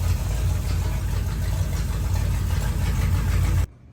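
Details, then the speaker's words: Old van on the road again, new exhaust fitted, heard from inside the cabin: smooth, low, even idle rumble with no ticking or puffing, then shut off; much quieter, no exhaust leaks. "sounds good. A lot quieter in here. There's no exhaust leaks. I love it."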